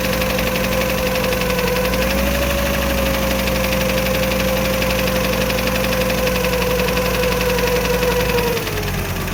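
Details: VW T4 California with the AAF 2.5 petrol engine at idle: quick uneven tapping, about four a second, with a faint constant whine. Source unclear. Engine noise.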